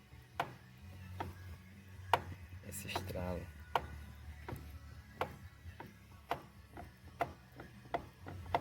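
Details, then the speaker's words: Mitsubishi L200 Triton, steering wheel removed: sharp single clicks roughly every second as the steering is worked back and forth, in the steering column; owner suspects the lower joints rather than the clock spring, unconfirmed. "Tá com esse barulho quando você mexe na direção, ó. Quando você mexe na direção, faz esse"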